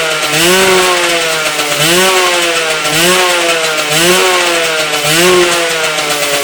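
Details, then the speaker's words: Homebuilt moped with a Yamaha 125cc engine in an old Tunturi frame: engine blips about once a second with a harsh scraping edge each time the clutch is pulled; grinding, cause unknown, small oil leak between engine cases. "easy as you could hear the grinding noise when I pulled the clutch I need to check it sometimes"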